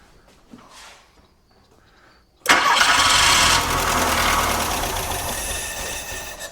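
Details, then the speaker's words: 1985 VW Golf Wolfsburg Edition barn find: short crank, then it pops and runs rough briefly on starting fluid before dying out. The fuel injection isn't working yet; a quiet engine otherwise. "Now, we're not going to do too much starting fluid here. We just want to see if she'll pop, make some noise just for fun."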